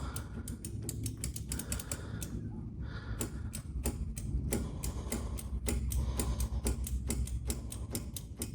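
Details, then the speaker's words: 1961 VW Beetle barn find on a 6-volt battery after long storage, key turned: fast, uneven dry clicks over a low rumble with no cranking, apparently the starter solenoid trying to engage; cause suspected, not confirmed. "There's that. Yeah, I hear the solenoid or something like trying to engage."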